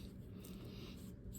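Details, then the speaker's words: Penn Fierce IV 8000LL spinning reel being serviced, bearings turned by hand before cleaning; quiet, rough, uneven gritty crunch as the bearings are heavily covered in salt grit. "man they are just so covered in grit can you hear that wow"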